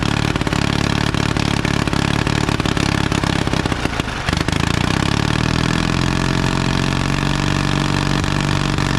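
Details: 1952 Caterpillar D2 crawler, pony engine running after restart, diesel cranked over by it: steady even beat with no knocks or misses; pony engine works, diesel turns over as before, steering clutches still frozen.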